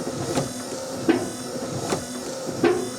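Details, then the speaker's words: Morris Minor with a Nissan K11 Micra wiper motor conversion, heard from the engine bay: motor hum with a scrape about every 0.75 s, once per sweep; owner thinks a wiper blade is scraping on the bonnet. "i think one of the wipers is scraping a little bit on the bonnet which is what that noise is"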